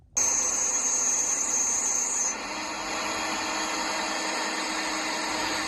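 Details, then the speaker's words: Develon DX140LC-7 excavator, hot, going from auto idle to full RPM: a high, steady squeal for about two seconds, then the engine revs freer. Does not occur cold; suspected viscous fan or air-conditioning compressor clutch, unconfirmed. "you hear that squeals and then once the squeal finishes it seems to allow it to rev a bit harder"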